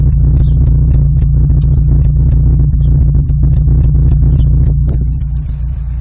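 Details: Rover 200 BRM at idle, temp gauge sensor miswired: deep, lumpy idle with uneven beat and occasional stumble; slight misfire, cause not yet found.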